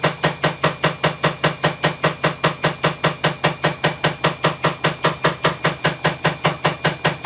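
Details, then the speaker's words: Bosch WAE24366 washing machine, also tripping the circuit breaker, spinning up but nowhere near full speed: loud, sharp, very even clicking knock several times a second from a broken drum spider. "element but if you hear that clicking that's the broken spider it's pretty loud there's nowhere near full speed yet"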